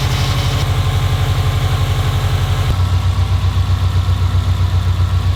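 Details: Subaru STI engine first start after drivetrain swap with new downpipe and catback exhaust, warming up: steady low idle, even pulse smoothing partway, no knocks or misfires; AFRs decent, oil pressure good, running healthy.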